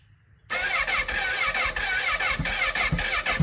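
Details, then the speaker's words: Honda CBR1000RR rebuilt after crashing at over 100 mph in a police chase, tip sensor relocated, first start: catches after a short crank into a rough, uneven idle with throttle blips, things burning off the header; normal start and run. "Oh my gosh. The hot pursuit CBR is running. He wrecked at over 100 miles an hour and she's alive."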